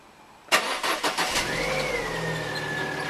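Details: 1.6 car after replacing the humming used power steering pump and rack, fresh fluid: engine cranks, catches and settles to an even idle with no loud pump whine; new pump runs quietly.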